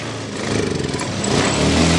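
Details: Honda Scoopy new ESP fuel-injected scooter, battery 12.5 V engine off, kick-started: engine stumbles and sputters unevenly as throttle opens, nearly stalling (misfire); complaints of delayed throttle response, stumbling and no electric start; injection system to be checked.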